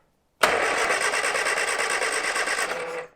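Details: 1970 Morris 1300 (ADO16) barn find, sitting many years, after cleaning corroded ignition connections and confirming strong spark: about two and a half seconds of quick even starter cranking with no firing; turns over but won't start.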